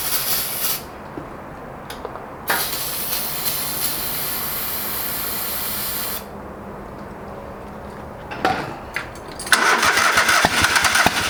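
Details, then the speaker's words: Old lawn mower that sat for years, running on brake cleaner sprayed into carb with old terrible gas: catches in short uneven bursts, surging and dying, won't idle; fuel starvation, fuel pump or lines suspected. "oh that gas is terrible oh i didn't get it run but you need to figure out why it's not running right"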